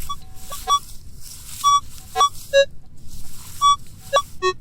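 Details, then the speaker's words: Minelab CTX 3030 on combined, 25 manual sensitivity, wide open screen, in a hunted park: thin short high tones chirp repeatedly on each sweep over a silver coin about 6 inches deep, only a faint high tone. "I was walking along and I hit that little high tone."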